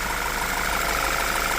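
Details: 2014 Audi Q3 2.0-liter petrol: steady even idle with faint constant high hum, no knocks or misses; alternator LIN control good, battery voltage present on alternator wire.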